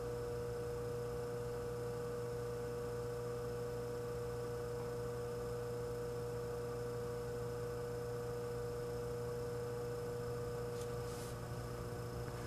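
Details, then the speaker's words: Frigidaire 5400426 antique fridge compressor running after a test refrigerant charge, with new wiring and service port: steady low hum, no clicks or rattles; current fell from about 3.2 A to 2.3 A and the evaporator is already getting cold. Normal compressor hum. "I just realized you guys couldn't see the current. It started out at about 3.2 amps, now it's down to 2.3. The evaporator is already getting cold."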